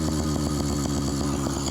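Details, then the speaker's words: Phantom 85 two-stroke engine with MS460 piston on a roughly 50 lb bike: crisp rapid buzz idling well above normal; owner suspects an exhaust leak introducing extra air and making it idle higher. "When the exhaust leaks on two-stroke, sometimes it introduces more air, which will make it idle higher."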